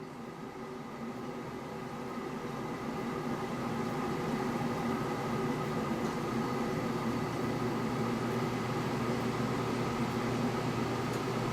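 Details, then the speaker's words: Keurig 2.0 coffee maker heating its water again with the lid closed: an even, steady hum that builds slightly over about ten seconds with no clicks or rattles; a normal heating cycle. "so there it is heating again now like I told you buzzer take this pot out but I put my own grounds in I can close this now wait for it to heat up"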